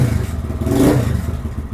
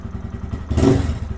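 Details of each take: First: Lifan KPM 200 motorcycle with the TPS adjusted to 0.4% closed (0.8% running, 78.4% wide open). Even single-cylinder idle picks up cleanly on a hard blip and drops back without stalling. Normal idle and revving. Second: Lifan KPM 200 motorcycle with throttle position sensor set too high, reading 1.6% at closed throttle: slow uneven low thumping idle with a brief stumble; hesitant and likely to die on a quick throttle roll-on.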